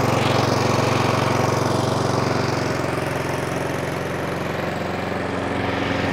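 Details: Brand-new Honda Izy mower, GCV145X engine, about three weeks old and used twice: rapid single-cylinder chatter whose speed sags and recovers instead of holding steady, engine hunting.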